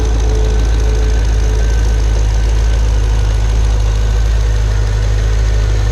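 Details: Pontiac G8 GT L76 V8 at idle: heavy rumble with steady valvetrain tapping, an AFM/DOD lifter failure; second such failure, first at 44k miles, this at about 66k.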